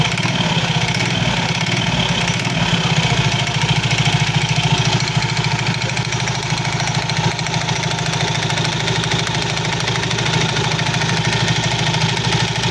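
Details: Soul GT 115 scooter idling: loose, uneven clatter of about three knocks a second from the CVT; suspected looseness or wear of certain CVT parts, not confirmed.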